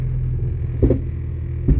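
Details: 1996 Jeep Cherokee XJ, first drive after front axle install, in 4-low: heavy low rumble with two hard clunks a second apart, no four-wheel drive, fine in 2WD; not a ratio issue per owner, cause unknown.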